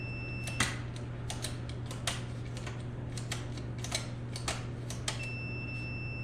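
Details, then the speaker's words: Mopar pushbutton automatic shifter that sometimes fails to find neutral: sharp, irregular clicks and clacks as buttons are pressed over a low hum; action is sticky and iffy, cause unclear, possibly adjustment position. "see we get it back it's sticky it gets iffy"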